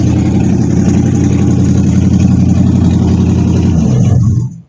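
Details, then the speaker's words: Holley Demon 625 CFM factory-refurbished carburetor: engine runs roughly near idle on the idle circuit alone, then sags and dies within a second; pumping gives only a tiny squirt, the accelerator pump isn't spraying fuel. "so the idle, it's running on the idle circuit alone, and if you pump like a whole bunch of gas, you get a little tiny squirt. That's why it's able to go, or the gas from the carburetor is leaking in there somehow. But it's not spraying from the actual accelerator pump."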